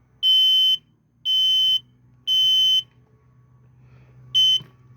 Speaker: and if that blinks and doesn't chirp you know your battery is good and now when I change my batteries I like to test my units so you push and hold to test